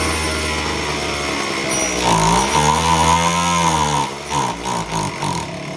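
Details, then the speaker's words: Homelite HT17 gas hedge trimmer, fuel lines found completely gone, catches after priming and buzzes with pitch swooping up and down as it hunts, then sags; runs only briefly, fuel delivery suspect. "All right, so something's not letting it run."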